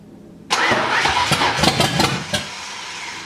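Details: Driftstang 5.0 V8 after the distributor was turned: brief crank, catches at once and settles into a smooth, even idle. Oil pressure reads over 40; starts and runs properly.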